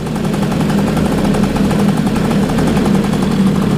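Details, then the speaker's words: 2002 Bombardier DS90 two-stroke after new aftermarket top end (previously 65 psi compression, wouldn't run warm), idle mixture screw at about two turns, warm; fast even popping idle, no misses or rattles; normal idle. "So yeah, she's running nice and smooth."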